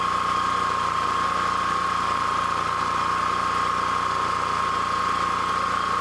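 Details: Honda EB3000c generator running with stator wires disconnected from the inverter: smooth, even drone, steady hum, no surging or misses; engine runs normally, inverter diagnosed as bad.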